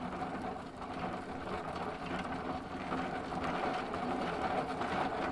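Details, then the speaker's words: Sparta Railstar bicycle, Shimano coaster-brake rear hub, bike flipped and wheel spun: quiet, gritty, uneven rumbling grind throughout; owner thinks the hub bearings are gone, with worn races and cone. "I think the bearings in there are are gone."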